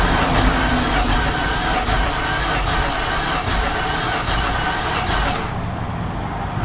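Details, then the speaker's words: 2015 Infiniti QX80 from a Copart auction, cranking: slow, even turning for several seconds but it never catches; oil pressure present, bigger issues suspected. "a touch of starting fluid and it's still not [Applause] [Applause] firing we have bigger issues"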